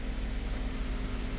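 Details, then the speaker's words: Vehicle in the shop with the A/C shutting off and an engine coolant temperature code set: at idle, a loud, steady rushing roar with slight pulsing as the cooling fans run full blast while the coolant gauge reads low. A bad ECT sensor or wiring is suspected. "cooling fans are on full blast, and the coolant temperature gauge is reading low."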